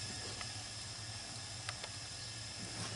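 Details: Dodge Nitro with misfire and low compression, engine off during leak-down test: steady airy hiss with faint clicks; compressed air escaping past the intake valve, exhaust valve also leaking.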